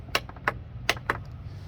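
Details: John Deere D155 mower that won't start, safety switches working: sharp single clicks at uneven intervals over a faint hum, no cranking; starter solenoid clicks but engine never turns.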